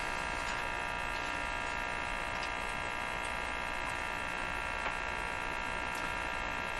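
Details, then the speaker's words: 1935 Rogers Model 7R622 tube radio during signal-injection troubleshooting; a steady, even buzz from the speaker, probably a power supply problem not yet dealt with. "You hear that buzz going on. I mean, that's probably a power supply problem that I haven't deemed important enough to deal with yet."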